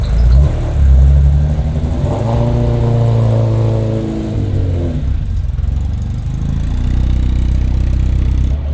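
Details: Ferrari 348 that surged and idled very high, after a bad O2 sensor was found and new exhaust bungs and O2 sensors were installed: the engine catches, revs up smoothly and settles to an even idle without hunting, problem apparently resolved.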